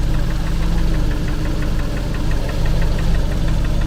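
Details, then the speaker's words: Engine at idle with a light tick three to four times a second. It occurs once per crankshaft revolution, so the owner rules out the connecting rods. The source is still undetermined. "je fais vite parce que ça ça gicle mais on se rend compte quo que c'est bien chaque tour d' braquin mais pas un tour de le braquin que il y a ce claque. Donc déjà, c'est pas les bies, c'est sûr."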